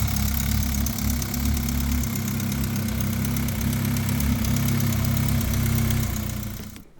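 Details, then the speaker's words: Big-turbo (Garrett G900) AWD-converted MK5 GTI with multiport injection and Syvecs standalone ECU: rough, deep idle with uneven puffing tick from an exhaust leak still present after repeated smoke testing; leak location not yet found. "Okay, as you can see, we still have a bit of an exhaust leak. You can actually hear it as well."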